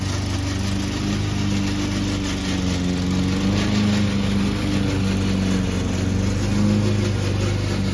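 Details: Old Toro Recycler lawn mower running under load, with a constant rattling racket from the drive system over the engine drone. Later fixed with WD-40.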